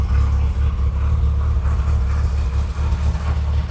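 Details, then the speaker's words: 1973 Lotus Europa first start after years sitting, with replacement carburetors and new exhaust, not choked: starts right up, deep steady exhaust rumble, even without stumbles or knocks; running cleanly. "I mean, it sounds like it's fuel injected, just like starts right up and goes."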